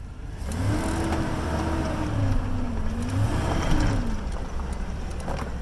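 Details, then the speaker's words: Vehicle with a slipping transmission, gunned in reverse again after adding Instant Shudder Fix: the engine flares and wavers under hard throttle with no steady pull; still hesitating, the treatment has not kicked in yet. "nope still got hesitation maybe it's got to work in a little bit"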